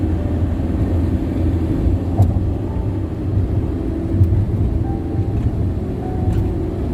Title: Loud tire noise ? #Bandung-Jakarta toll road